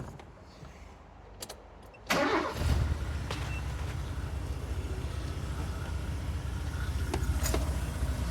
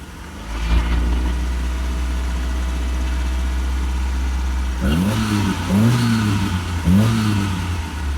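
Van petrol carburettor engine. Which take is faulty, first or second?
second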